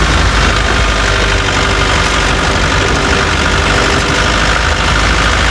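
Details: Chevrolet Tavera diesel at steady idle with a rough clatter mixed in; owner reports a khatpat knocking sound that 10 mechanics could not diagnose, source unknown.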